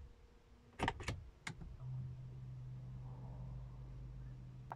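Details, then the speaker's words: Audi A4 B8 2.0T fuel pump priming with ignition on, engine not started, after high-pressure fuel pump and cam follower inspection and removal. Low steady hum after door clunks; normal priming, done about four times. "okay let's prime again i can hear the fuel pump going"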